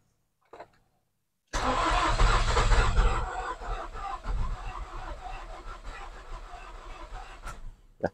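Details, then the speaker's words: Nissan X-Trail T30 cranking, battery getting weak: even starter churning near four beats a second, engine catching faintly a couple of times but never firing; cranks but won't start. "pada saat diarter dia seperti mau hidup tapi tidak jadi ya teman-teman seperti itu Jadi ada gejala mau hidup tapi enggak bisa hidup"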